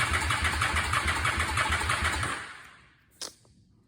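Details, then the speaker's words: 2004 Honda Shadow VLX 650, battery likely low: starter churns about three turns per second for over two seconds, no catch; cranks, no start; bad starter solenoid cited. "Come on, baby. You gotta go get some gas. Come on, baby. Doesn't look like we're going anywhere tonight."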